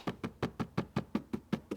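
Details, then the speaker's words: Tesla Model Y driver-side B-pillar seat belt height adjuster after fabric-tape fix: evenly spaced dull taps, about five a second, short and damped, no buzz or rattle; muted versus before, still moves up and down. "Definitely sounds muted by comparison to before. Still goes up and down. It's good."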